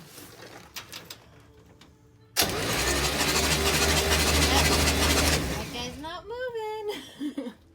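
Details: 1965 GMC Handi-bus engine, compression test showing number five cylinder at zero while others about 160, valve cover off, valve suspected: loud uneven cranking with lopsided beat; dead cylinder.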